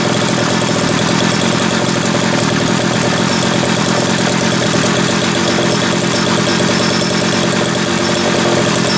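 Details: Homelite 330 two-stroke chainsaw after intake boot replacement, the only fault found: loud, steady buzz at even speed with no stumbling or misses; oiler just beginning to pump; running cleanly and healthy.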